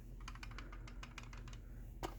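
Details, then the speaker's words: Brand-new September 2023 Chamberlain garage door remote shaken: light, irregular plastic clicking as loosely clipped case halves rattle, unlike a tight 2016 LiftMaster remote of the same kind; loose remote casing. "They just don't seem to fit together as tight as they used to. This is a brand new remote from September 2023, and you can hear that when I shake it."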